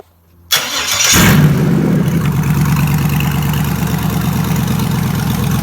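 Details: 2003 Chevy Tahoe 5.3L LS engine on a stand, run on the stock harness and fuse box with VATS deleted: a quick crank, then a loud, steady, even idle through open pipes; normal start and idle.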